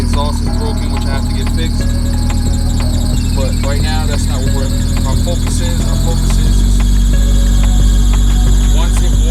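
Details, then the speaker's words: 1997 Honda CR-V, first startup after replacing the fast idle thermo valve (FITV) to cure a jumping idle: steady high-pitched squeal with a pulsing chirp about four times a second over the idle, from a worn accessory belt due for replacement. "So this is going to be the first startup after changing out the fast valve, the fast idle valve. Ready? Here we go. You're gonna hear the squeak because I gotta change the belt"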